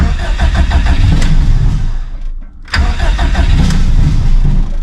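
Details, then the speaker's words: Stock Subaru EJ257 longblock in an 1100+whp STI, cold, in neutral. Rapid cranking, a stumble and near-stall, then it catches into a rough idle; hard cold start, cold start tune needs work. "come on girl she cold there's the [Music] pop almost well it's safe to say I'm going to need to work on the cold St"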